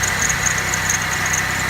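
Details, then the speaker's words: Neglected vehicle in terrible shape, running on a jump box with low brake fluid and no oil showing on the dipstick; steady, even idle with a quiet exhaust and a faint background squeak or chirp, running smooth. "she sounds good. Doesn't sound like the exhaust is loud or anything. Oh man, poor girl. She's running like a champ."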